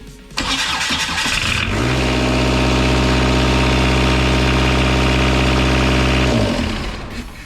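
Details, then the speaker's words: Kubota V2403 diesel in a 2006 Jeep TJ Wrangler, first start after governor spring replacement and bleeding injector lines: cranks, catches and jumps to a steady high rev that never drops; idle far too high. "Wow! That's straight high revved. We've got something we got to figure out."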